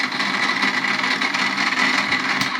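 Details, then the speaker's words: Secondhand Slush Puppie slush machine, plugged in on mix then dispense settings: steady motor drone with a thin whine, but the blades do not turn. Owner suspects the motor or the gears. "No, it's not spinning at all. So initial thoughts are, let me just unplug it. It could be, there we go, we're unplugged. It could be the motor, but it sounds like it's obviously making a noise. It could be gear related."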